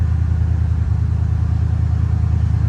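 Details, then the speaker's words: Salvage Ford, owner thinks a 5.0 V8, idling with AC on, given a little rev: deep, even low rumble with a steady beat, no knocks, misses or surges; engine very smooth. "Give it a little rev. Oh, the engine is so smooth."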